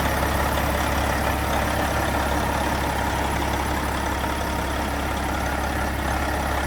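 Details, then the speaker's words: Detroit Series 60 12.7 diesel, about 980,000 miles, just given first overhaul with PDI kit and stage 2 head, rebuilt Jake brakes: even, steady clatter at idle, constant low drone, no knocks or misses; normal idle. "Sounds good. Sounds like an old Detroit."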